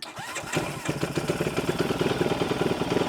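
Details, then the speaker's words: 212cc Grom-clone single, just swapped to a Nibbi PE28 carb with an empty float bowl, cranks then fires on choke, settling into a quick, slightly uneven chug; cold start. "Throw some choke on. I know that carb bowl's empty."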